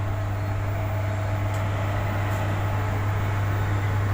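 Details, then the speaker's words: Vivek PA 600-watt power amplifier with customer hum complaint: loud constant low hum unchanging in pitch or level; burnt PCB at main filter capacitor, capacitor fault suspected. "இந்த ஆம்பில் வந்து humming வருது அப்படின்னு சொல்லியிருக்காங்க customer. அது என்னங்கிறத பார்ப்போம். இந்த humming sound வருதுங்களா?"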